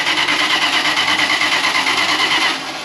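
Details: 50-year-old Winnebago motorhome engine, after extensive repairs from long storage: groans over repeatedly in a rough, uneven rhythm without firing cleanly, then drops off; hard starting.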